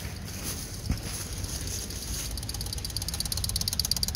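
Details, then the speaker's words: Honda 600 car unused since about 2014, key turned on with engine off: after a couple of seconds a fast, light, even ticking starts; electric fuel pump priming normally. "I don't know if it's got a fuel pump on it. Oh yeah, I hear the fuel pump running."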